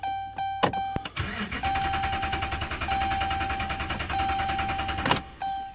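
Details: 2011 Ram 2500 Hemi: steady rapid starter chugging for about four seconds with a chime in the background; it cranks evenly but never catches, a crank-no-start.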